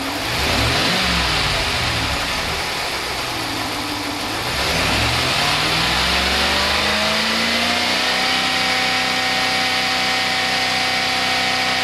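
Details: Stock 2015 Ram 1500 with 5.7L Hemi V8, engine warm, no Hemi tick or lifter failure: revs rise and fall smoothly, then settle into an even idle with a light, fast fuel-injector tick, which is normal operation; healthy engine.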